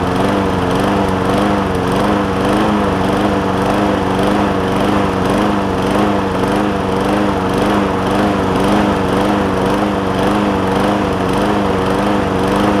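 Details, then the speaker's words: John Deere JA60 push mower with a replacement tank, new fuel line and cleaned carb, at raised throttle: the pitch wavers about twice a second, still surging with an air filter fitted. Lean surging from debris caught in a carb jet. "Tried it a couple times. I got some debris caught up in one of them jets on there."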